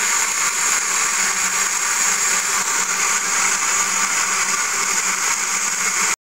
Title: Mercedes G400 weird noise